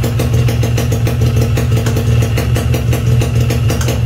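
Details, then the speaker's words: Restored Yamaha RX King two-stroke engine with fresh crankcase, clutch and gear ratios, no head rubbers fitted; steady, even idle with crisp regular firing that doesn't change when the clutch is pulled; normal idle. "Karena komponen dalamnya seger, crankcase-nya bagus, couplingnya bagus, as rasionya bagus, ya, bulat, enak didengarnya mesin."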